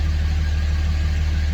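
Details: 2006 Dodge Ram 2500 Cummins 5.9 diesel, 225,000 miles, automatic 4WD, after an AFC fuel controller replacement for hard starting and stalling: steady, even low rumble with a smooth, unbroken rhythm and no knocks or stumbles. Normal idle.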